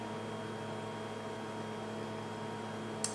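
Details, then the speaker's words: Steady low electrical hum with faint higher overtones from a noisy refrigerator running loud in a quiet kitchen; the fridge hum is unchanging throughout. "that's my noisy fridge i don't know if you can hear that so noisy"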